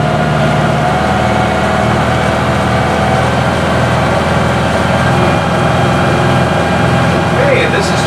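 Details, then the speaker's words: Classic displacement powerboat inboard, rated 3,200 rpm, under way at 2,500 rpm (about 8.5 knots), heard in the cabin near the engine: steady, even low drone with water rush, no knocks or misses, normal cruising. "this is 2,500 RPMs. This gives me about 8.5 knots."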